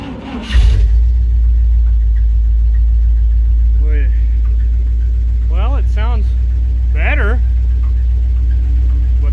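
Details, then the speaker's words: 1968 Dodge W200 Power Wagon, big block 383 V8, after adding a quart of oil; steady deep idle with short wavering squawks every second or two; owner says not the belts but a bearing of some sort. "there's still a squawk somewhere if you can hear that the camera's picking it up that is not the belts that is a bearing of some sort yikes"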